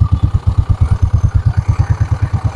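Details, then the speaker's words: Yamaha Mio Soul scooter revving on the stand after CVT slider replacement, checking whether the drive noise is gone: steady, even low putter with no rattle or scrape; normal running. "Tapos try natin paandarin para lumapat na to at tingnan natin kung maingay pa."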